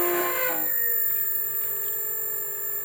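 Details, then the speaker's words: BLDC motor on servo-controlled RF-driven controller, 10 V supply drawing 0.63 A (rated 30 A), spinning about 3000 rpm barely throttled: quiet steady whine at constant pitch, no rubbing or grinding; normal smooth running. "beautiful motors they run so smooth they're so well engineered so this thing right now is spinning at probably about 3000 rpm and i'm barely even touching it"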